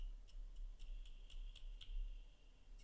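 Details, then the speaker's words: ASUS 9800GT MATRIX graphics card from a smoke environment, fan after refurbishing and oiling, spun by hand: quiet steady high whir with light regular ticks as it coasts freely, smooth bearing, noise settling; normal fan spin, quieter than before. "Wow, it spins nicely. The sound is also going away slowly."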